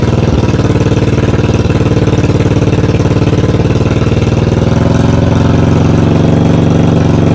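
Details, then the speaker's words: 1982 Yamaha XV920 V-twin, first start after cafe conversion and rebuild, heavy very loud low thump at steady idle, harsh exhaust, backfired, some oil from exhaust; loud exhaust, tuning needed. "she's bloody loud crying out loud i couldn't believe how loud she actuall"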